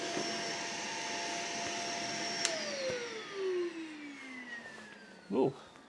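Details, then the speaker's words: Shark vacuum on its second cup of baking soda: motor whine drops steadily in pitch and sounds strained, not happy, as fine powder chokes the filter and airflow. "cup number two of baking soda let's see what happens so oh i don't know if you can hear that but it doesn't sound particularly happy after two cups of baking soda"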